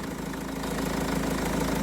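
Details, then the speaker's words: Renault Trafic diesel work van, nearly 240,000 miles, after replacing an alternator that caused a bearing whirring noise: steady, even idle with no whine. Normal idle after repair. "The new alternator is on. I have to find the key. All right, here we go. First start. Woo! Happy days."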